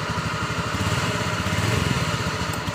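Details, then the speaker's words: Honda Vario 110 FI scooter idling with uneven, stumbling firing pulses (brebet) when the crankshaft position (CKP) sensor wiring/socket is wiggled; MIL code 52 (CKP sensor fault), sometimes stalls and won't restart; misfire from intermittent CKP sensor connection. "Tetapi setelah saya cek di kode kesalahan ternyata kodenya 52 berarti kesalahan di sensor ckp dan ini kita lihat di sini ckp-nya ini ini tadi saya gerak-gerakan itu ternyata memang benar ada brebet-brebet ya contoh ya"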